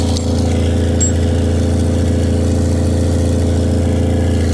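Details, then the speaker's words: 1982 AMC Concord after impound forklift lift, new ignition and distributor: loud, deep raspy idle with puffing at front; low-hanging exhaust leaking, hanger possibly rotted, likely damaged by forklift. "now as you can hear it sounds pretty loud to me and when I kick it down it's probably going to be louder the more I look at it though your exhaust is hanging low"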